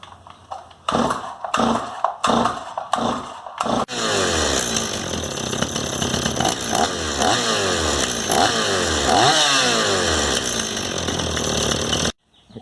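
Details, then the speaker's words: Stihl 026 chainsaw after carburetor teardown and cleaning, with high/low screws found out of adjustment and retuned: a few pull-start bursts, then catches and holds a steady buzzing idle with clean blips up and down; running properly. "so i went over and looked at the adjustments on the high low screw and they were all out of whack so i just quickly tuned it and now it's running properly"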